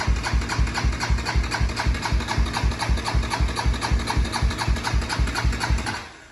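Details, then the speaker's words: Honda 400EX single-cylinder ATV, first start after crankshaft replacement and refilling oil, good spark; putts evenly about four beats a second then dies after six seconds; spark plug fouled from rich running in the mountains and repeated pull-starting. "okay so I've come to the conclusion that this spark plug is completely fouled out and a lot of that to do is it was running pretty rich up there in the mountains anyway"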